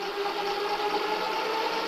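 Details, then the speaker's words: Amyet e-bike with dual Bafang throttles, 1500 W controller driving the 1500 W rear hub motor for the first time, just wired up, full throttle on mode 1: steady high whir, even tone, no knocks or grinding; motor spins smoothly. "You can see right here. But let's hear how it sounds at full throttle on mode 1."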